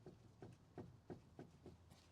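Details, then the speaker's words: 2011 Mitsubishi RVR (Outlander Sport), front wheel rocked by hand: dull, even knocks about three a second from outer tie rod ends with a lot of play. The lower control arms also have some play, and the tie rod ends are being replaced. "but um the outer tie rods have got quite a bit of play so much that it's knocking"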